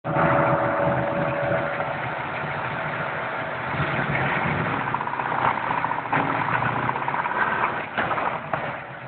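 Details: Modified V8 (long tubes, Comp 503 cam, 1.6 rockers, beehive springs) after hitting 6500 rpm limiter on 2-3 shift: loud tick just above idle, none at idle; oil pressure 60 psi cold, 20 hot idle; rockers/springs fine, seems under intake; rod knock, spun bearing or lifter suspected.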